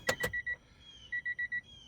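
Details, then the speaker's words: Cheap engine-swapped project car, key on, clutch to floor: thin feeble double-tone chime repeating, no crank and no fuel pump prime; power reaching some wires but not others, electrical cause unknown. "so you hear the chime is a lot weaker"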